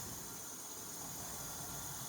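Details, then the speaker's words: Chevrolet LT1 Camaro leak-down test, engine off, compressed air in the cylinder: steady soft high hiss heard at the exhaust header. Air leaking past a bent exhaust valve, believed bent when the engine backfired. "in the header so unfortunately we have a bent valve i'm pretty sure from when it backfired"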